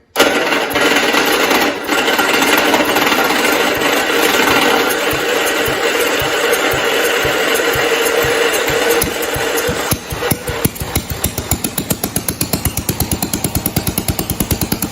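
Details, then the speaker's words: 1969 John Deere 112 Blue Patio after a new ignition system: single-cylinder clatters at start, then runs with steady, evenly spaced firing pulses; running well, ignition problem fixed. "that sounds pretty good cool I would say it ran pretty good"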